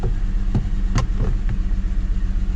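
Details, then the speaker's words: 2006 Mercedes C230, about 78,000 miles, idling unevenly with irregular puffs and stumbles breaking a steady low thrum; misfire after codes cleared, check engine light returns, cause not yet found. "I have no check engine light and the car is misfiring"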